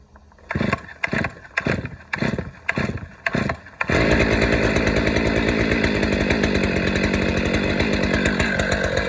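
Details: Stihl MS 500i fuel-injected chainsaw, no carburettor, primed about twelve times, decompression valve pressed and chain brake on. About six pull-cord rasps, then it catches and settles into a fast, steady, even idle; clean healthy start.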